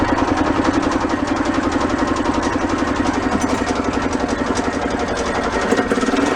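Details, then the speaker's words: Mid-1980s EZGO golf cart two-stroke engine after rebuild for low compression, intake off so slightly lean: quick, fairly even buzz of about four pulses a second with no knock or misfire; much better than before. "all right definitely sounds much better than it did the first time"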